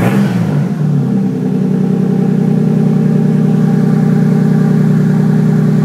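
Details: 1965 Mustang with 2JZ six-cylinder swap, newly fabricated exhaust with Dynamax race bullet muffler routed along driveshaft and over axle; engine spins up quickly then holds smooth, deep, steady drone, no rattles or ticks; normal running.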